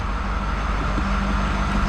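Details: Ford 6.7 Powerstroke diesel truck with 669,000 km, first start after S&S DRC conversion install and fuel system priming: steady, even idle with a smooth low rumble, no knocks or misses; engine running healthy.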